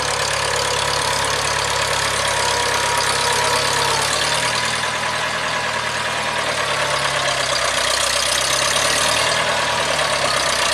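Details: 1975 International Harvester 574 four-cylinder after carb main jet adjustment: steady, even engine note holding speed under a lot of hiss, no misses or stumbles; running right.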